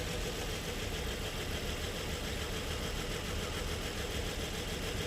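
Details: Nissan Murano V6 at idle: uneven, shaky idle with a dull lumpy beat; scan-tool power balance test shows cylinders 3 and 4 not firing, a misfire attributed to worn spark plugs.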